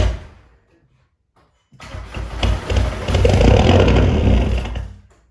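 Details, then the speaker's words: Remapped VW Caddy 2K diesel, first start after fitting a GTB1756VK hybrid turbo to replace the blown one, new box and 4-inch roll tip, oil residue in the cylinders: brief crank, then a loud, raw, unsilenced exhaust bark at a rough idle. Straight pipe. "oh she's loud she is well loud ridiculous sounds louder than on the goals"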